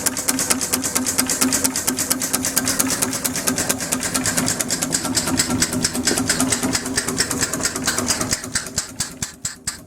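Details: Homemade steam engine built on a Villiers two-stroke crankshaft and flywheels with a bronze cylinder, running on only 10 psi: crisp, even exhaust chuffs at about two per second, steady and unlabored; running normally.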